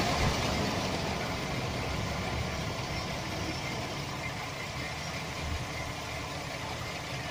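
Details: 2007 Chevy Express 1500 4.3 V6 at steady idle: light, irregular metallic rattle from the bellhousing area; bad starter motor drive gear chattering against the flexplate (flywheel).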